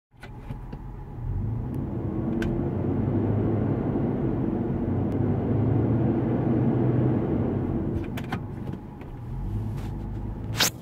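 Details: New 2015 Land Rover LR4 while driving: heavy steady low radiator fan roar under driving noise that doesn't follow engine revs; loud cooling fan roar is abnormal.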